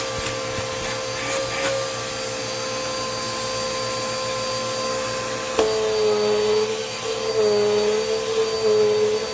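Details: Dirt Devil Quick-Lite Cyclonic (UD20020) vacuum after service, brushroll checked fine: clicks on to a steady high motor whine with airy rush, pitch wavering slightly as it's moved; running smoothly.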